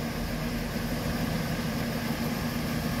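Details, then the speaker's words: Car idling after new water pump, tensioner pulley and idler pulley replaced (old pump bearings falling out, loose pulleys were noisy); quiet, steady idle with smooth low hum, no bearing rumble or scraping, healthy. "it's idling so much quieter and smoother now"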